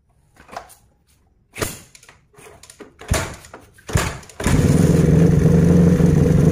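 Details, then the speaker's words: Suzuki Satria FU motorcycle that wouldn't start, after spark plug service: fires up and holds a fairly steady single-cylinder idle with an even beat; fault was the spark plug, carb idle still to be adjusted. "oke sudah hidup ya jadi Sudah bisa hidup jadi kerusakannya adalah busi"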